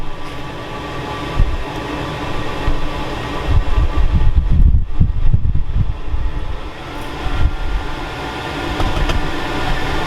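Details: Newly installed diesel blown-air heater after pump priming: steady low roar with slow swell and dip, no misfire pops or sputtering; heater lit and running evenly, normal.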